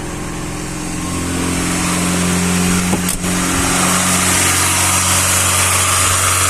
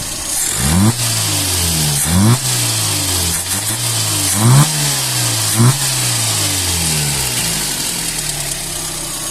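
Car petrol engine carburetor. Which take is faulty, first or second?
first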